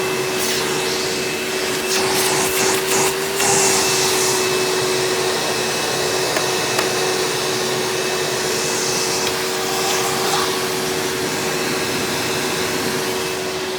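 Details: 1997 Hoover Dirt Finder Power Drive U6331-930 direct-air upright vacuum in tool mode with onboard hose: steady, even motor hum, mid-pitched tone and airflow hiss, no rattles or surging; smoother than owner's red Power Drive Supreme, normal running.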